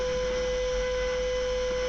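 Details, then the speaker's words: Small gear motor driving an N gauge engine shed roller shutter, tested at speed setting 80 while holding the nut: single steady mid-pitch hum, spinning faster than before but still far too slow. "You can hear the motor spinning faster,"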